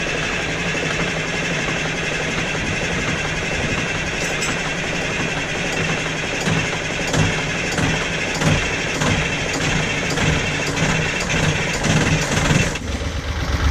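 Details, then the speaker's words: Caterpillar 3208 marine diesel on a boat, started after a fuel pump was installed: it catches and settles into a steady, slightly rough idle clatter amid water noise, with cooling water flowing, no knock and no smoke; normal start and idle. "That's the sweet sound of a Caterpillar 3208 engine with no knock and no smoke."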